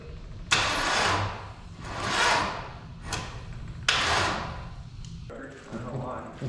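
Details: 454 big-block V8 swapped into a Civic, new out-of-box carburetor, temporary fuel pump, test fire three or four: long cranking bursts with a few weak catches, no sustained run; partial firing.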